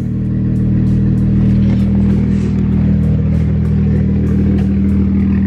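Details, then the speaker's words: BMW 335i E92 at idle after clearing misfire codes, with all injectors confirmed plugged in: smooth, steady hum with no stumble; idle is normal, and coil packs or a boost leak are suspected. "I mean sounds normal I made sure all the injectors are plugged in"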